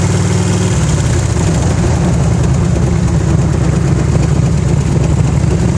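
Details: 1991 Harley-Davidson Electra Glide V-twin running with a light ticking on the beat; absent when cold and first started, worsens as the bike warms and gets louder at higher RPM, mainly on the freeway; owner unsure whether pinging, knocking or valve noise.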